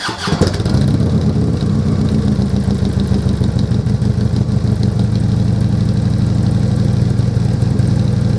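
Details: Harley-Davidson Glide with new slip-on pipes, started: settles into a deep, even, loping V-twin idle with steady low pulses; normal idle.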